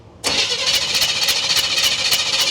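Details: 1976 Chevy long-bed half-ton pickup, parked for years with a bad water pump and run without coolant: brief crank, then it catches and settles into an even, fast idle with no misses or stumbles, a clean start.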